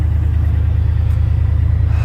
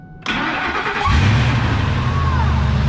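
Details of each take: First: Jeep idling after starting on a 15-minute jump charge, owner had suspected the battery; deep steady V8 rumble with even pulse, no knocks or misses; normal idle. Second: Old Ford F150 plow truck: engine catches and settles into steady idle with faint intermittent metallic rattle, a loose heat shield whose location owner never identified.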